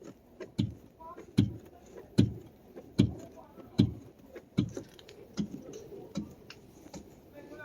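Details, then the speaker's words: Mercedes S600 coupe: dull regular knocks about 75 per minute as the body is rocked, the strut hitting toward the body from a bad rear strut upper mount; the other side is good. "The hit, the actual hit from the strut toward the body of the car. There's a hit to it, like you hear it banging, like something is hitting from under, and that's what it is. And the upper mount here is bad."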